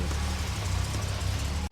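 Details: Series 1 Jaguar E-Type (about 1961) idling after an ignition system overhaul, with timing checked by timing light and found bang on; a deep, even idle rumble with no stumble or knock.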